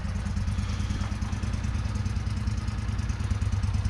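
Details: 1996 Craftsman riding mower, Kohler 18hp Magnum engine, first run after sitting unused for years: steady, even thumping at a fast idle, about three beats a second, no misses or knocks; engine runs healthy.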